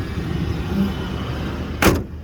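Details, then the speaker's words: 2005 Lincoln Aviator, cold weather, hood open: engine running with even low rumble, no knocks, ticks or squeals, one brief handling thump; sounds healthy. "okay well you can't really see much because it's all underneath the thing but you can hear it sounds pretty good"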